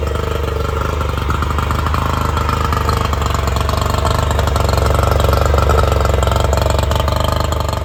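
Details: A 50hp Yamaha outboard on a 1990 Smoker Craft boat, freshly reassembled and started, settles into a steady, even throb of about four beats a second with a slight rise in speed, running cleanly.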